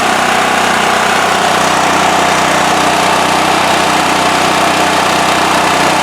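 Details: Westinghouse WH7000EC 7,000 W generator with electric start, after carburetor cleaning and removing plugged spark arrestor: loud constant hum with no surging, misses or knocks; runs smooth and steady.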